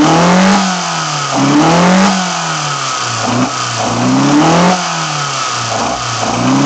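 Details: BMW 318i M10 engine on first startup after fitting sidedraft individual throttle bodies: a crisp, even idle with repeated quick throttle blips, revs rising, falling and settling back smoothly, so it runs normally.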